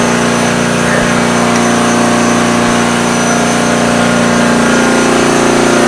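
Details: Small engine with home-made tri-fuel conversion, new petcock and inline fuel filter, started on gasoline at full choke with propane off: loud, steady high-pitched buzz with even firing beat, no surging or misfires; normal running.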